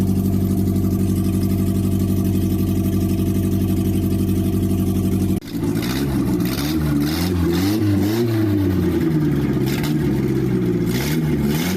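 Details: Toyota Carina after engine rebuild and new head gasket, just reassembled and on its second start: steady, even idle, then smooth rising and falling revs with no knock or miss; the engine runs healthy.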